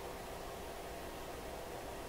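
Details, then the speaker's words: DeForest Crosley shortwave radio after repairs, hum check: power supply filter capacitors suspected worn (rated 16, reading about 12), yet only a soft even hiss with no low droning hum; no hum heard. "don't hear a hum"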